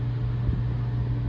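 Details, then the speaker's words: Mr. Heater 50,000 BTU MHU50 garage furnace, previously dead with no power to the thermostat, after reflow-soldering a loose connection on the control board: starts up to a smooth, steady, even hum with no knocks or rattles; running normally. "Success! It sounds like it's about to start. There we go. A little bit of reflow solder, and I think we fixed this board."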